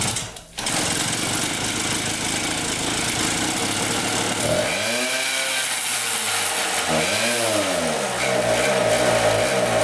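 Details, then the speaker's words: 1974 Honda Elsinore MR50, a 50cc two-stroke, surging. The buzzing revs swing up and sag back repeatedly without throttle change. No carb air leak found and re-cleaning the carb didn't help; the owner suspects it needs a new carburetor. "as you can see when I rev it up sometimes it wraps up high when you drive it it's a good I just and then like it goes back down then it pops back up again and then goes back down pops back up again it's super strange"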